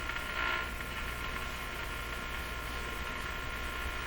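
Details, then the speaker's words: Nordmende Boheme C tube radio on broadcast band after replacing four more capacitors: only steady hiss, static and crashing with no station; it isn't tuning, possibly from rubbing tuning capacitor plates or a bad ground on the rotating part. "still hear all that static and crashing"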